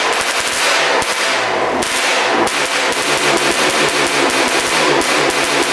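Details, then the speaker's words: 1991 Honda CR250 frame with a 1995 CR250 engine, first start after not running: sharp, uneven cracks with gaps and stumbles, as if losing spark, then cutting out randomly. Misfire suspected; a new NGK plug is next. "all right so it fired up but it sounds like it's like losing spark and then just shuts off randomly"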